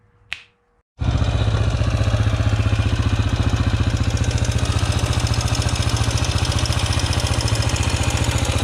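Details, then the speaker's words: Yamaha TTR125 rebuilt with big bore kit (125 to 150 cc), first start after rebuild, started hard and dumping fuel: heavy lumpy thump about four beats a second with rattly edge; crank bearings or loose valve lash suspected. "uh oh that sounds rough well the bike's running but unsure what that noise is crank bearings maybe i still maybe i gotta re check relash the valves maybe i left one a little bit loose"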